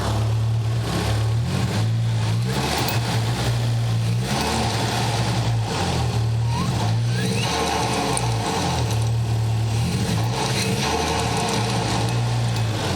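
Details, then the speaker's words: Nissan 200SX turbo, engine revving: light metallic clickety-clink rattle over the exhaust note; possibly fan blades hitting the housing, not confirmed; engine also has smoke and a random misfire. "Hear that like rattly sound? Clickety clickety clink clink, clickety clink clink clink. That is not a pleasant noise."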